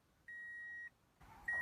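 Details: 2004 Toyota Matrix with the battery jumped and the key turned to start: two steady high chimes about a second apart and dash lights on, but no starter whir or engine sound. It won't crank.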